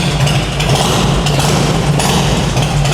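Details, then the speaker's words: Carbureted Harley-Davidson V-twin with aftermarket exhaust, warmed up and revved: deep uneven potato-potato lope with a heavy low throb and strong vibration; normal V-twin rev. "Wih sampai getar ya geter. Nah, getaran ini yang makanya kan orang bilang kalau bawahari getarannya sampai jantung ya begini dicarinya ini ya."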